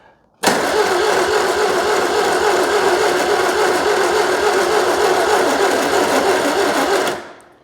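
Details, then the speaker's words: 2CV-based Falcon S kit car abandoned 23 years, choke set: starter churns slowly and laboriously about three and a half beats a second without catching; battery tired, hoped to speed up once oil circulates. "the battery is sounding a little tired but hopefully once the oil gets circulating it'll speed up a bit"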